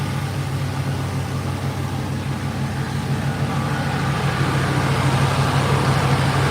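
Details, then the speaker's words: 1986 Chevrolet Silverado with a new aluminum radiator, at idle: steady idle with an even fan rush building on top; both electric cooling fans kick in and run smoothly, and the oil cooler comes on. "So all the fans are on. Well, you can see it. It blows. So, fan one, fan two come on, and the oil cooler's on. So, all that's working."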